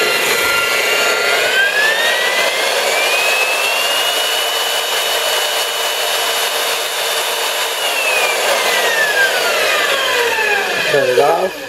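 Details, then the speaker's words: Milwaukee 4208-1 electromagnetic drill press, apparently unused, magnet engaged, running forward on variable speed: clean motor whine climbs in pitch, holds steady, then winds down smoothly with no grinding or rattle. Normal motor operation. "So you hit your magnet, turn it on, red button comes on, hit the forward, it's a variable speed control."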